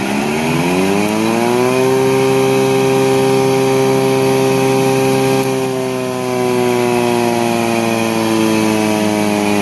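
Machine spins up smoothly to a steady hum and holds an even pitch with no knocks or rubbing; it sounds healthy.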